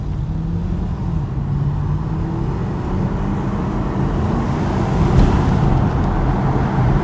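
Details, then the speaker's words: 2015 Chevy Camaro on a road test uphill after fixing a cylinder 6 injector fault (P0206/P0300): strong, even pull with smoothly rising engine note and no stumble or miss, nearly 100 km/h in about 5 seconds. "señores esto quedó perfecto casi 100 km por h en 5 segundos más o menos esto quedó muy bien"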